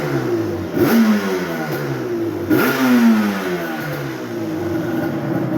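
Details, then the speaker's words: 2001 Yamaha Banshee two-stroke ATV, near-new, revved after a short ride: two crisp throttle blips rising and falling cleanly with an even crackle, no misfire or rattle; healthy. "That's what it's supposed to sound like."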